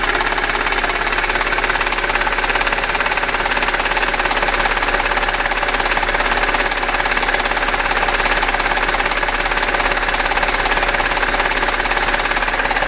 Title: Audi A6 4F 3.2 FSI quattro seltsame Motorgeräusche - Klackern - Nageln -TEIL2-